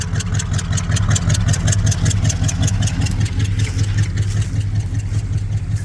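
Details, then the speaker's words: Ford 390 V8 from a rollback truck with PTO, compression about 120–130: deep, even idle lope with no knocks or misses, good oil pressure, slight black smoke on one side. Normal idle. "Yeah, I'm pretty happy with oil pressure. Sounds good."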